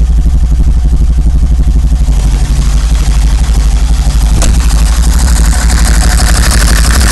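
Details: 1990 BMW 525i: deep engine note with a lumpy, uneven pulse of about three a second that never settles; rough running from a misfire.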